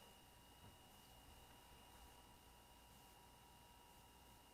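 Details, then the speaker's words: Homemade silent air compressor build, just plugged in and pumping up the tank: only a very faint steady hum with a thin whine, no knocking or rattle; running smoothly and quietly. "Why can't all air compressors be that quiet?"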